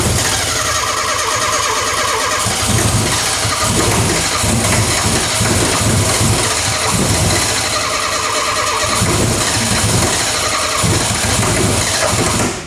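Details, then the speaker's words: Renault 5 GT Turbo first running in 5 years: fires and keeps running but lumpy with uneven surges and stumbles; rough running, HT leads in wrong order suspected. "Still very unhappy about something. It's relatively unhappy, I would say."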